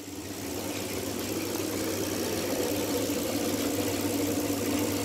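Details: Motec M8 ECU from a sprint boat bench-tested, with a 4A-GE distributor in a drill press supplying crank and cam signals at about 900 rpm; steady, even ticking of injectors and coils at idle pace with no skips, so the ECU fires normally.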